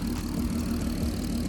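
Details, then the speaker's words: Mk5 VW Golf R32 VR6 turbo build, running after fitting intake and 4-inch MAF inlet: smooth steady idle with light quick ticking, which is the injectors, louder than expected, not a mechanical fault. "this is how it's running but an absolutely lovely just like it was stopped yeah the clicking you can hear is actually the injectors pretty noisy to be fair I didn't think they'd be that noisy"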